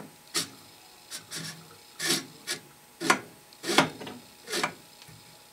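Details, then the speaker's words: Antique Essex Stirling hot air engine turned by hand: slow, uneven scraping rubs about once a second, binding; owner suspects displacer rubbing the casting end, perhaps warped or bent from overheating, unconfirmed. "as i rotate it it sounds like the displacer might be rubbing the side of this end of the casting"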